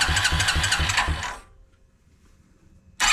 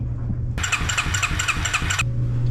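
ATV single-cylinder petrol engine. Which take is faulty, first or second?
second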